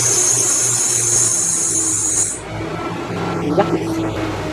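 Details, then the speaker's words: 1996 Ford Ranger started cold in the garage at about 64 degrees, wheels lifted off the ground: shrill, steady belt squeal over the engine for about two seconds after start, then cuts out; belt slipping on start-up. "Yuck. Ugly belt squeal."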